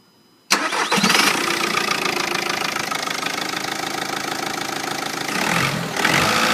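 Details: 2.0 TDI (BKP) diesel after a replacement: it cranks and catches, then a thin steady turbo whistle rides over the idle and rises with a throttle blip.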